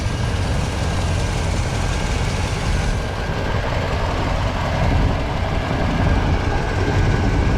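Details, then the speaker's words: 1979 Chevrolet El Camino V8 (air cleaner says 350, possibly a 305), automatic, dual exhaust, at idle: deep steady rumble with soft puffing from a small exhaust leak on one side; no lifter noise, good oil pressure. "have a little bit of an exhaust leak coming from over here you can hear it pumping out of there"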